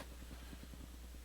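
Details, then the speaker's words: Returned Crown CSC-850F amplifier/cassette radio in tape mode, resting with nothing playing: faint rapid, evenly spaced crackling ticks over low hum; minor rapid-fire crackle noise at idle, cause unknown. "again, it's got a minor rapid fire full blast, tape mode, resting mode if you will."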